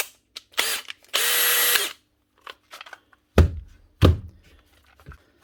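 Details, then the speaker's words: Makita DHP485 cordless drill after fitting a new hex-end chuck: two short bursts of smooth even whirring with clean spin-down, then chuck clunks; runs healthy. "One Makita cordless drill, DHP485, 2020 machine with its third chuck."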